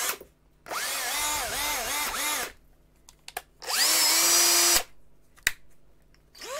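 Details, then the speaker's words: DeWalt DC725 19V NiCd cordless drill from about 2010, tested after repairing arcing brushes/commutator and cleaning; revs in short bursts, whine rising and dipping smoothly with the trigger, running clean and even with no arcing. "she's choing good and there's no Angry Pixies in there"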